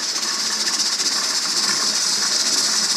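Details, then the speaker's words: Pressure canner processing quarts of bean soup with ham, at 10–11 psi: continuous steam hiss pulsing about four times a second as the weight jiggles and vents any excess pressure; holding pressure and working correctly. "weight is jiggling. That is jiggling because anytime it goes over the 10 to 11 pounds, it lets it off. So it will never go above that. As long as you hear that jiggling, you know that it's working and that it's where it should be."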